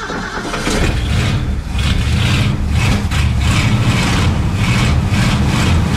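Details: Ford wrecker V8 after an HEI distributor retrofit, freshly started and not yet warmed up: low, slightly uneven, lazy idle. Timing was first way high, then backed off and now seems slightly low, not yet set.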